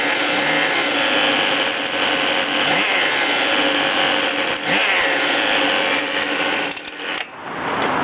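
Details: Goped small engine making harsh rasping, ratchet-like crackle over its buzz at a loose, uneven beat; abnormal mechanical noise, cause unknown.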